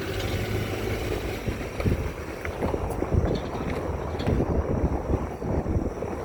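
Loose, irregular light taps and clicks over road rumble and wind while driving, from a rattling brake pad.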